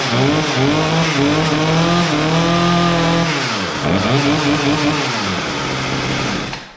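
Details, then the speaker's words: Poulan Pro P3416 34cc 16-inch chainsaw, abandoned, revived with new Champion plug and idle screw adjustment; plug gap likely too closed: crisp two-stroke buzz rising and falling through two clean revs, then dies away; runs properly. "there we go well honestly i think it was the gap it was a little too closed in"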